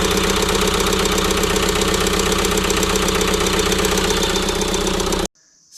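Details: About 2006 JCB 180T compact track loader diesel, after swapping a suspect injector with lines cracked for bleeding, problem did not follow injector: uneven lumpy idle about four beats per second, one cylinder weak; compression test next, cause unconfirmed.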